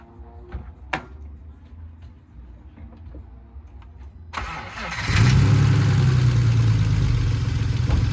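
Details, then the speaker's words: BMW E46 with a replacement 2.5-litre six bought cheap after the old engine had zero compression; first start after priming, battery charger connected: cranks, catches and settles into a strong, fairly even idle with a low rumble. Normal running, some minor quirks noted. "Alright guys, well as you can see, the Beamer started. It got some little quirks to it, but we're gonna get it running good."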